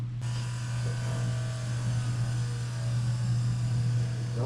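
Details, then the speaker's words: Sandrail buggy after engine install, key on after refilling tank to submerge the pusher fuel pump: smooth even hum with no sputter or hesitation, fuel pump priming normally. "That sounds more normal. There's no sputtering and hesitating and Why don't we crank it?"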